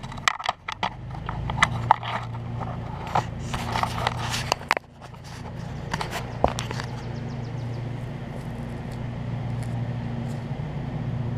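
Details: Briggs push mower engine swapped from a rusted Craftsman deck onto a new Murray deck, held by only two mounting bolts after two broke off in the block: after handling noise, settles into a steady low drone with no knocking or vibration rattle; healthy.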